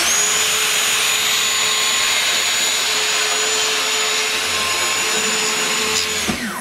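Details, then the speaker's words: Circular saw after a burnt cut, depth lowered to about 50 mm on the rail. Steady high whine holds even pitch through the cut without bogging, then winds down. No burn marks, much faster cut, motor strained less. Normal cutting. "Là, on voit quand même bien qu'il n'y a aucune trace de brûlure. Ben là, on voit clairement que la rapidité de la coupe est nettement au-dessus. Et en plus, le moteur de la machine est... Le moteur de la machine a moins forcé."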